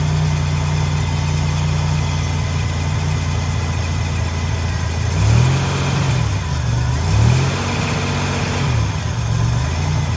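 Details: Buick Grand National with rebuilt 140 block and fresh cam, first start after rebuild with coolant system filled and burped: steady, even low idle with smooth throttle blips, no knocks, ticks or misses; healthy normal idle.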